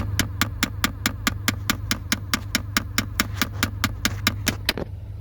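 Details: Car interior: sharp, even knocks about twice a second over a low hum that stop abruptly. Mistaken for engine knock, it is a failing recirculation door actuator.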